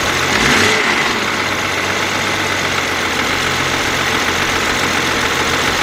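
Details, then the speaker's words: 2009 BMW X6 3.0 with loss of power and code 12543 (30FF exhaust turbo low pressure side): idles with uneven pulse under a strong airy hiss; unidentified abnormal idle noise, possibly boost leak. "let me let me spark this up what's that noise a little bit but"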